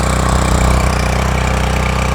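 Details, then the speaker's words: 7HP Duramax water pump engine, started on the first pull with choke, draining a pond: a small single-cylinder engine running steady and even under pumping load, with a regular firing rhythm and no knocks or misses; normal running. "You hear it running. She's pumping away. Thank goodness that part was easy."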